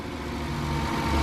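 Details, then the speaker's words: 2012 Volkswagen Passat with salvage title, running on a jump box with a battery expired since 2017: steady, even low rumble with no knocks or misses, smooth idle settling in; the owner says it sounds really healthy. "I don't know if they intentionally did that at the auction or what the story is, but it sounds great. Yeah, it sounds really healthy."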